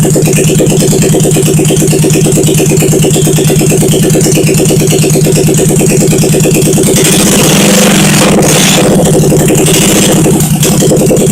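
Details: 1971 SL350, first start after engine rebuild, carbs primed, choke on, kick-started, no throttle fitted, temporary wiring to points; steady even idle with lumpy low beat and light valve clatter, fires cleanly, normal running.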